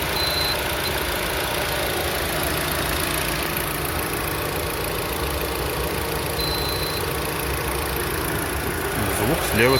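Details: Lada Vesta, H4M engine with CVT, at idle: thin, steady high whistle over the engine hum, somewhere near the alternator or timing chain, possibly the belt; source unconfirmed.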